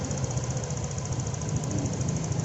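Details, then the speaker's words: Honda Vario 125 FI after repair of an idle that kept rising and falling on its own: low, even putter, steady and low, with no surging or hunting; normal idle. "idle sangat halus. Sekarang, levelnya bisa rendah dan tetap stabil ."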